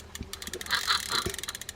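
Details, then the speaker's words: Penn Squidder fishing reel cranked by hand: fast gritty ticking with a rasp under it; may need grease or have a bad bearing, not sure which, though clean inside. "that one sounds like it needs some grease or it has a bad purring i'm not sure which"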